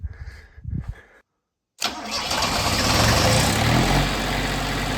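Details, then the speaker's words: Kubota off-grid generator starting after cleaning the plunger of the fuel shutoff solenoid and resetting the shutoff to its original position; sat about 7 years. Catches at once and settles into a steady, even idle with no misses or knocks; normal start. "On, AC in good, perfect. Power goes from here to here, over to that little box. Power on, bingo bango bongo."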